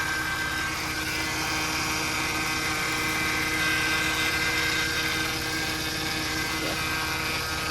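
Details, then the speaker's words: 2008 Mercedes C300 at idle: thin, steady high whine with a faint buzzy vibration and ticking near the power steering pump, also possibly a pulley bearing; pump suspected as culprit, to be replaced, not confirmed. "So yeah, so I will probably replace that, because that will probably most be the culprit. It's causing that vibrating, whiny noise."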